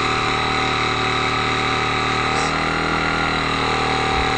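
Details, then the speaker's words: Reynolds Handi-Vac battery hand vacuum pump pulling down a freezer bag on a flat surface: continuous high, strained motor whine; weak batteries make the small pump slow to evacuate the bag. "It's pulling it down. It takes a little bit of time. My batteries are weak on this, and it's going to take longer if your batteries are low."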